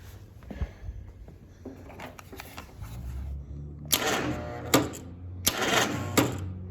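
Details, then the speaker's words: 1947 Willys CJ2A that sat in a barn for nearly a decade, cranked on a jump pack: starter drags the engine in slow, heavy, uneven bursts; owner suspects a dead battery, possibly a dead cell, and a tight engine; slow cranking. "She's definitely tight. She's not happy. All right. [sighs] I don't know if we're fighting a dead battery with the jump pack. That thing should have just whirled over."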